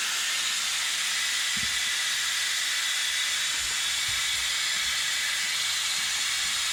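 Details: Air-driven venturi coolant vacuum filler pulling vacuum on a 2016 Ram 3500 6.7 high-output diesel cooling system during a coolant exchange: loud, steady high-pitched air hiss with no pulsing; normal vacuum fill operation.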